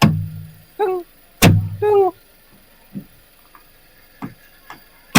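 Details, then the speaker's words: Car sitting slightly lower on one side, mic placed inside the coil spring, engine running: two short creaking groans and dull clunks when the wheel is turned; noise appears when turning, confirmed broken coil spring on that side. "now you all hear that one then I can confirm this side coil spring broken at the moment I can't point"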